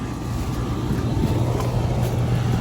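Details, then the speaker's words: Central air conditioner running with the compressor and fan humming evenly, no knocks: weak airflow, low side at 15-16 psi and dropping, high side at 126 psi. Pressures are poor; a dirty filter or coil is suspected, not confirmed. "all right so our system is running I'm not really blowing much of the air of anything um our pressures are well they're pretty pathetic our low side pressure is 16 15 psi and dropping a high side 126."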